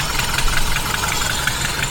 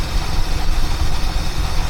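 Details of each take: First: 1976 Mercury engine running rough during ignition timing adjustment: uneven, lumpy idle with sharp irregular ticking and hiss; first taken for an exhaust leak, then suspected as a leaking carburetor base gasket. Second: 1976 Mercury Marquis, revived after a no-spark no-start fault: steady, even low rumble with no stumbling or dips; smooth, stable idle.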